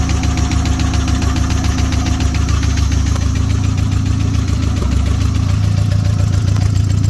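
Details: Turbo Nissan Hardbody (~400hp, stock internals) once hot, with no water coming out when the radiator cap was removed: rhythmic low knock, roughly three to four a second, riding over the idle; deep internal knock, cause not yet found. Engine knock when hot.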